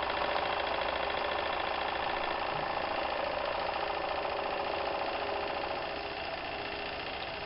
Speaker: now the engine has warmed up and you can hear that the machine is actually running very very quiet